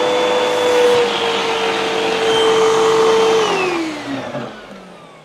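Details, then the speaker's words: Hoover vacuum model UH7103 after partial unclogging and filter refit: motor runs with a strained whistling tone that sags in pitch before shutting off; airflow restriction from a remaining clog. "right, so we have another clog. It shouldn't be making that noise. There's some restriction down in there, so there's probably more stuff in there."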